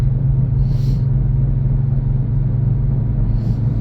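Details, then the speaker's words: 2009 Chevy Impala cruising on the road: steady low drone over road noise, suspected wheel bearing; the hum goes away when turning toward the driver's side, so the passenger-side bearing is suspected. "so it's driving well it does sound like there's a wheel bearing"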